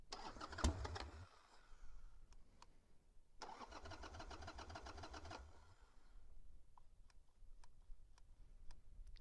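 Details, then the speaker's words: Harley-Davidson Sportster, stuck carburetor float needle not seating: two long bursts of steady starter cranking that never fire, no fuel reaching the carburetor; crank no start from fuel starvation, fixed by removing and freeing the float bowl. "It's not getting fuel. Bummer, man. Back to the drawing board."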